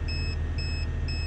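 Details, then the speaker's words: Renogy 1000W inverter charging an EcoFlow Delta Max 2000 from a running vehicle: three short shrill beeps about twice a second over a low engine drone; low-voltage alarm suspected, worse when slowing or with headlights on. "so I don't know if you can hear that beeping back there but that's the um inverter um I presume it's complaining that it hasn't got enough voltage and we got the engine running"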